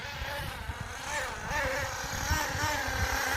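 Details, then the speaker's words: HPI Firestorm 10T nitro RC car after refitting wrongly installed carburettor barrel: high-revving engine sags and stumbles, bogging down rather than holding speed; owner says it needs an engine tune, idle screw and needles suspected. "So, she definitely does need a bit of an engine tune. Sounds like she is bogging down a"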